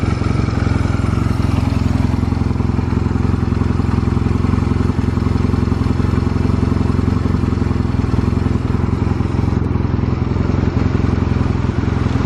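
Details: Stored Honda Rebel 250 Special (MC13) motorcycle at a start-up check, with a low, steady thrumming idle, even beat and no knocks, ticks or rattles. Normal idle, no abnormal engine noise.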